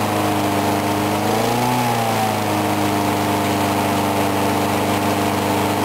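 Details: Briggs & Stratton mower engine, cold 35°F, sat long with water in the gas, refueled; steady even drone with brief governor surge settling quickly; normal running.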